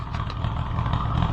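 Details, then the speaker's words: Allis-Chalmers WD tractor (WD45 engine, or the reverse): low, uneven, ragged chuffing over the idle, running rough enough to shut down; owner wonders if the carburetor float has a hole, cause unconfirmed. "jeez I can't stand to listen to that run like that so I'm going to have to just shut her down"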